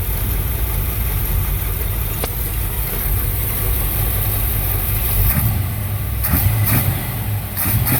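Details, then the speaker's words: 1964 Impala V8 after swapping the original Rochester 4G carburetor for an Edelbrock 600 cfm 1406 with manifold adapter, timing adjusted and warmed up. Steady, even idle rumble with light blips, no misses: runs good, healthy idle. "Yeah, that runs good."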